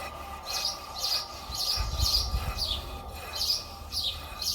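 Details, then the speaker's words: Mercedes W202 front brake, driver side, with the wheel turned by hand: a sharp high-pitched squeak about twice a second, described as squealing like a mouse. "واللي السيد كيجي كيفاني هذ الرويضه هذه كتولي كتزيط بحال الفار كتولي كتغوت وهذا المشكل هذا كيكون من بزاف ديال الاشياء"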